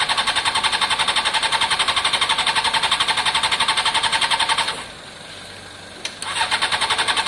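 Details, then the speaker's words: Honda CBR600 F4i non-runner, accident-damaged and unused for years, after injector cleaning with cleaner and fresh fuel: steady fast cranking, three or four beats a second, stops and resumes without catching. No pump whir before cranking; owner suspects no fuel delivery, pump possibly in tank. "it's possibly in the tank i don't hear it prime or anything"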